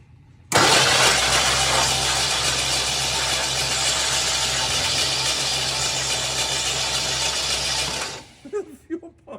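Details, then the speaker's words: 1969 Lincoln Continental, long-abandoned, cranking without starting: steady harsh whirring hiss over about seven seconds of cranking; abnormal noise, owner suspects alternator brushes or starter, unconfirmed. "I still haven't figured out the noise I'm hearing yet. You know, the noise it's making when it's turning over. Got to be the alternator."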